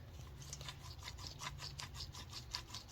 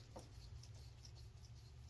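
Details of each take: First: 2010 Mercury Milan (same as Ford Fusion) rear wheel bearing, early-stage failure causing constant humming while driving; old bearing turned by hand gives gritty scratchy rasping, two or three pulses a second. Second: Brand-new rear wheel bearing for a 2010 Mercury Milan (same as Ford Fusion), spun by hand: almost silent, just a low murmur and faint light scratching, no hum or grind, unlike the humming old bearing it replaces.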